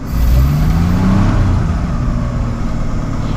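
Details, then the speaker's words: 1955 Chevrolet 210 V8 revived after long storage, fuel additive added, first start: engine revs up by itself and hangs at fast idle with no throttle input; high idle from weak throttle return spring, vacuum advance also not working. "I'm going to get that idle down it needs a new return spring"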